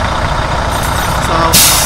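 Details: 2014 Freightliner Cascadia diesel idling under the truck after pressure protection valve replacement, checking for leaks as air builds: sharp hiss as the air dryer purges at governor cut-out; normal full-pressure behaviour.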